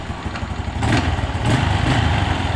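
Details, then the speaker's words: A long-unused motorcycle, started on a single kick after refurbishing, settles into an even, quick putter at idle with no knocks or misses, just a couple of handling bumps. It sounds healthy; the test ride showed no problems. "Oke ini kita starter cuman sekali engkol saja rekanrekan motornya langsung hidup dan penerangan sudah bagus ya"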